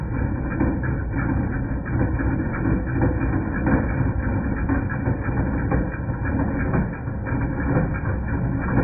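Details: 2010 Jeep Patriot Sport 2.0 at idle with uneven metallic clanking about once a second from the front accessory drive; power steering pump, pulleys, tensioner and belt replaced without change; alternator replaced and the noise went away.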